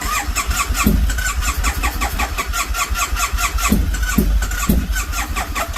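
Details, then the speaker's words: Triumph Bonneville T100 motorcycle: steady rhythmic cranking with a few weak pops but never catches; slow cranking no-start, battery low and needing charge. "that battery's going down it sound like it wanted to but it's this battery is low yeah the battery's too low"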